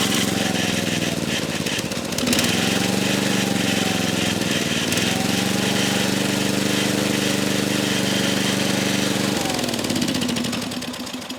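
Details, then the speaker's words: Old Briggs & Stratton 8 HP single-cylinder engine, tapered crankshaft, likely ex-generator, static throttle, revived and mounted on a dirt bike stand: thumping at fixed throttle with rattling and bouncing; heavy vibration from poor mounting, carburetor not yet adjusted. "not too bad bounces around like mad but uh we just don't have a mounted to anything solid enough but yeah she bucks around like a buck and Bronco"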